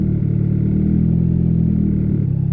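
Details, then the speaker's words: Built turbo D16Y8 Honda Civic just fitted with 1500cc injectors, tuned on Hondata S300, warming after a rich 11.7 AFR startup with cooling correction cut to 9%: steady, smooth low-hum idle around 14.6–14.7 AFR with 9° timing, no misses or stumbles. "Right around 14.6, 14.7. And it's actually pretty smooth."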